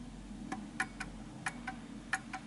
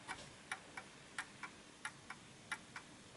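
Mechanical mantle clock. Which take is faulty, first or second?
first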